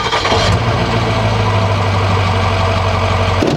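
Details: 2006 Ford 6.0L Powerstroke diesel that sat off and on about 2 years, low on fluids: quick catch with no long cranking, then a steady deep idle that settles evenly; starts right up and sounds healthy.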